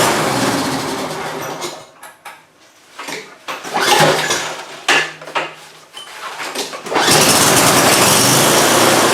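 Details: Simplicity snowblower engine, free scrap unit, first start after oil leak repair and refilling oil and gas, cool weather: a few sputtering tries, then catches and runs steady and even with no misses; normal running.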